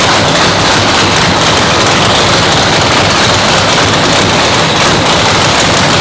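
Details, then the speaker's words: 997-cubic-inch nitrous race motor, freshly built, second fire-up after a 10-minute cool-down; very loud harsh roar with rapid crackling exhaust pops at steady high idle; normal race engine warm-up. "We're gonna bring it up to 200 degrees. What that does is lets the rings and everything seat in the motor. It's gonna go ahead and expand everything where it's at."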